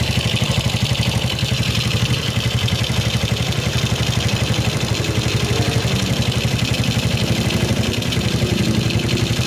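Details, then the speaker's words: Shogun 125 single after fixing ignition (dropped battery) and fuel-line fault causing stalling and misfiring, idle speed turned down: steady even putter about four beats a second, no misses; idles cleanly. "we turn it down a little OK, the speed is normal, let's go for it"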